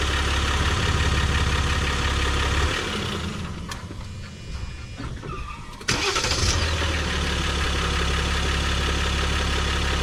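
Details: 2023 Jeep Gladiator Rubicon EcoDiesel started after fuel filter replacement and priming by cycling the key; engine cranks, catches cleanly and settles into a steady, even diesel idle.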